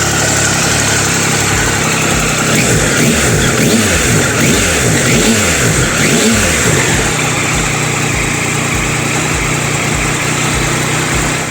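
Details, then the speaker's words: Triumph Tiger 1200 after fixing a very noisy engine, where a part was found catching on an edge: the engine blips and settles smoothly with no rattle and sounds much quieter. Normal engine running after repair. "well that definitely sounds a lot quieter"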